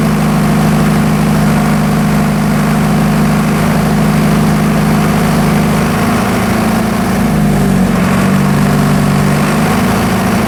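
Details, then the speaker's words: Military surplus diesel generator, stored several years, after penetrating oil freed gummed injection pump control linkage: steady drone dipping and recovering smoothly as throttle is worked up and down, no knocks or misses; healthy engine, injection pump in good shape. "all right as you can hear I was actually able to rev the engine up and down and engine actually sounds pretty healthy"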